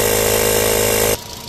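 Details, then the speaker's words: 2008 VW Rabbit 2.5 five-cylinder, 5-speed, 119k miles, idling before oil change: dense, clattery noise over idle; owner hopes fresh oil quiets it, cause not confirmed. "so you can hear how noisy this thing is right now kind of clattery so we're hoping after we change the oil we won't hear that no more"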